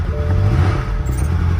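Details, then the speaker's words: BMW V8 auction car at Copart briefly running with broken serpentine belt: steady deep idle with no belt-driven accessory whir, water and oil pumps not driven; engine oil pressure warning appeared and it was shut down. "the serpentine belt is laying here and it's broken so that means there's no oil pump no water pump no nothing moving it's a good thing i just shut it down"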